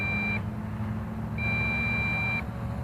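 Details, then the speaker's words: MJX Bugs 3 drone with optional 2300mAh battery: transmitter sounds steady high beeps, about one second on and off, with flashing lights, warning of low battery voltage in flight. "oh here we go low voltage low voltage you see the lights flash and check us out and you hear the transmitter beeping"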